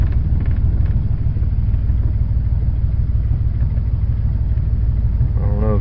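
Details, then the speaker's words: 1996 Jeep Grand Cherokee Laredo straight six 4WD in reverse: deep uneven chugging about two pulses a second, engine bucking hard; all cylinders misfiring, smoother in neutral. "can tell if it's bucket chugging pretty hard and reversed"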